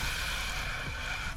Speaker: So right now I'm injecting air with the air compressor just to confirm that our brake is around this area. And look at that. It's right there on the 90°